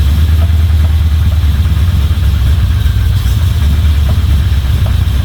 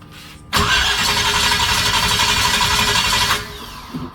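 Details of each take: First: Chevy 350 small-block V8 in a Toyota Land Cruiser HJ75 Troopy, after refitting rocker cover, chasing a valvetrain tick: deep steady idle rumble, no ticking or misfire; sounds pretty good. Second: Chevy 350 small-block V8 in a Toyota Land Cruiser HJ75 Troopy, after head and rocker work: about three seconds of fast uneven starter cranking that never catches; distributor turns clockwise but plug leads were fitted counterclockwise, also explaining the backfire.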